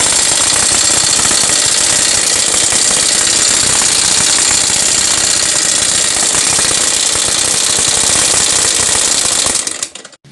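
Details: Yamaha SZ 150 motorcycle with a noisy engine even after the timing chain and tensioner were replaced; oil still present. Loud, harsh metallic top-end clatter, about four knocks a second. Cause not yet confirmed, timing chain cover and head cover to be opened.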